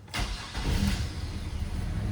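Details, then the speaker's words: Chevrolet S10 around 2000, 191,000 miles, crank no start fixed after restoring fuel pressure (zero to about 65) and replacing corroded distributor cap: short crank, then catches cleanly into a steady low idle; normal start, ABS light still on. "so they got other problems obviously but we solved the main problem which was for whatever reason they can't get it to start"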